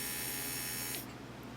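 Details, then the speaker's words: 2002 Volvo XC70 after replacing the brake vacuum pump and switch (fuse 3 kept blowing, brakes weak when cold): with ignition on, a brake pedal press gives an even electric buzz for about a second, then it shuts off. The pump and switch are working normally. "And then every time you hit the brake pedal, you should hear the pump come back on again momentarily. Just like that. And it should shut off."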